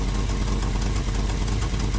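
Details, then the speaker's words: V8 idling after the vacuum advance is disconnected, rpm dropping to base idle with initial timing at 10°: even, lumpy burble, steady firing, no misses or tapping; idles fine. "So, I'm disconnecting it right now. See how the RPMs drop? So, now there's my base timing, which is idle"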